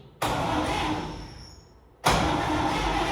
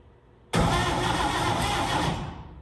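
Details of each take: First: Vintage International Harvester truck that sat in northern Minnesota woods since 1997, cranked; steady starter churning, engine turns over but never fires: crank no start. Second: Vintage International Harvester truck sitting in the woods since 1997, no fuel hooked up: starter spins the engine at a quick, steady pace with even compression pulses, no binding; engine turns freely, healthy cranking.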